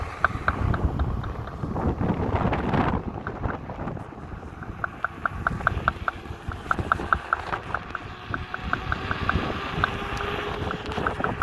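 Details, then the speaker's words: Kingsong S22 electric unicycle hub motor riding: sharp, rapid knocks over wind and tire rumble, later traced to a loose hub-to-bearing fit on one side cover, fixed with Loctite 641 on the hub-bearing interface. "all right i don't know what's the matter with the wheel but it's making a lot of noise"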